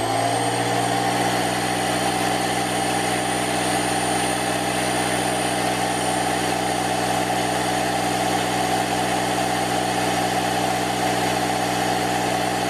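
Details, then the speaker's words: Parkside PKZ 180 C5 piston air compressor (Lidl, 8 bar, 1100W) building pressure to inflate a ball: motor spins up within a second, then steady hum with thin high whine; runs evenly, normal though noisy. "so it's for me too noisy so i'm just guessing it should be okay for for the ball"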